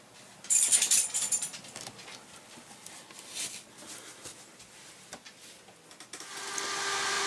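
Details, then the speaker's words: Stock thermostatically controlled cooling fan in a Dometic DM2652 RV fridge cooling stack: loud airy whir with steady mid-pitched hum after handling clatter, noisy before replacement with a quieter fan. "okay here's the stock fan you see it's pretty noisy"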